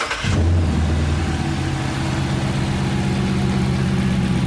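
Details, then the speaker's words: 2018 Dodge Charger police car Hemi V8, first start after fitting a cold air intake and opened-up 3-inch exhaust; quick crank, then a steady, deep, even idle with no misses or knocks; normal start and idle. "Sounds much better. Not bad. I mean, the exhaust does."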